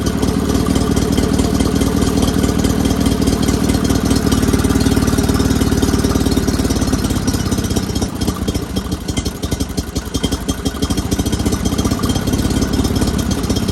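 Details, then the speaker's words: Sears GT 19.9 garden tractor, first start after sitting about 2 years, with an aftermarket carburetor fitted: an uneven, stumbling, lumpy idle that never settles. Rough running that smooths out with more throttle. "Somebody's not very happy. She's not happy."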